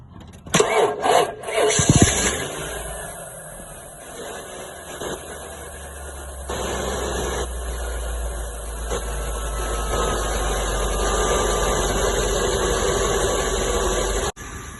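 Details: 1997 Ford F-250 (P0300, P0171, P0174 from a broken air hose vacuum leak) after repair: engine cranks briefly, catches and settles into a smooth, steady idle with no misfire or stumble.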